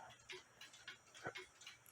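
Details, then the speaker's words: Nisshindo 100-day torsion/anniversary clock, plate 1469E, with a new suspension spring, running about five minutes, heard via a beat amplifier: crisp, even ticks about three per second, clicking about 180 degrees apart, so it is running in beat. "click there and it's clicking about there which is about like I said about 180 degrees apart from each other and that's what you want um the clock has been running for about five minutes before I started this video"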